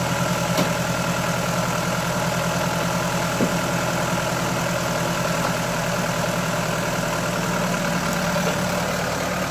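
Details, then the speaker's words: 2000 Mk5 Ford Fiesta 1.3 Endura OHV engine, running before valve adjustment: steady idle with a light, quick tapping, clashing tick like something loose; valve tapping from excessive valve clearance. "You can hear it like the tapping, clashing, like something's loose."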